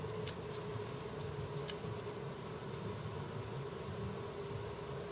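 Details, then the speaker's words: External 1 TB RAID 0 enclosure with two striped 500 GB drives, one failed, being power-cycled: a steady electronic hum with click, click and a clunk as the dead drive fails to come online. Failed hard drive clicking on power-up. "Do you hear that clunk? The click, click, and the clunk? It was trying to bring that second drive online, which it didn't."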